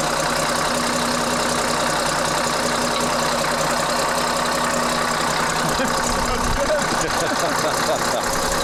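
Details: CAT 3306 diesel just swapped into a 972G payloader, first run: settles into a steady, even idle with a smooth low rumble and no misses or knocks; healthy.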